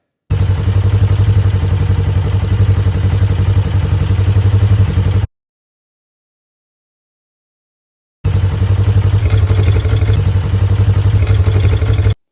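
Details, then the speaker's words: Polaris XP 1000 fitted with aftermarket Hunterworks primary clutch, compared against OEM: steady low engine drone, mostly exhaust heard, no clutch clacking; quiet primary clutch. "All right, so as you can tell, it is significantly quieter. You hear more of the exhaust than anything else."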